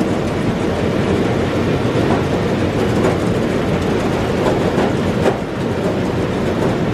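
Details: Massey Ferguson 40 combine (possibly 1996), sat 3 years, fuel and electrics refreshed; heavy diesel rumbling steadily with constant rattling chatter from the machine shaking, engine even and unbroken; a loose belt was found; normal running.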